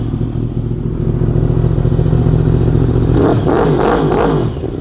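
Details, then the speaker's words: 2015 Yamaha R1M inline-four after spark plugs refitted, fresh fuel and cleaned air filter, compression good: even, steady idle with no misses and a clean rev settling back smoothly, no exhaust smoke; normal idle. "That sounds more like it. No smoke pouring out of the exhaust."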